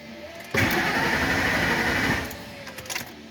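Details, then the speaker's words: 1999 Ford F-150 4.6 after timing chain replacement: starter churns at an even quick beat under two seconds, never catches; crank no start. Theft light not flashing; suspected unhooked oil pressure sensor or broken wires, unconfirmed. "He has a broken vacuum line there, but it won't start."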